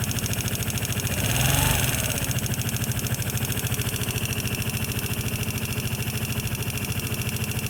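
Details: Vespa LX150 scooter idling with constant fast, even ticking over low single-cylinder putter; owner suspected loose valves, adjusted them but found them tight, and the ticking sounds exactly the same after adjustment.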